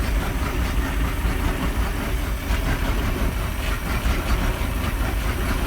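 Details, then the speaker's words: Bayliner Capri 5.0L V8 MerCruiser, after a carburettor clean to cure stalling and a flat spot: cold idle warming up on the auto choke. Low, steady burble with no misses or stumbles, sounds healthy. "it warm up it's got the auto choke on that one let it do its thing i'll just let that idle a bit"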